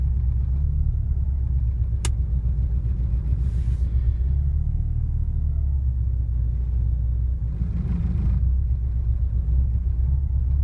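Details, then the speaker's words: 1986 Porsche 944 NA that has become hard to start: low, deep engine rumble with a slightly uneven pulse but no clear misses as the idle settles; the cause of the hard start is unknown. "but pretty hard to start."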